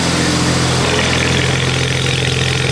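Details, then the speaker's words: BMW 335i after replacing the fuel pressure sensor and two bad injectors (index 12 injectors fitted, new ones in cylinders 3, 4 and 6): steady, smooth idle with an even hum and no misfire or rough shake; running normally. "So, I didn't swap it cuz the one that we have looked like it's brand new. It ended up being just the the fuel pressure sensor. And then we had two bad injectors finally"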